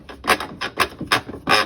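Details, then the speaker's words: Whirlpool top-load washer in agitation: rough rasping grinds in bursts about twice a second as the drive pulley sits too low and rubs the gear teeth; fixed by adding a spacer washer, noise gone. "it's grinding it's because for some reason this is sitting too low and it's rubbing on these teeth"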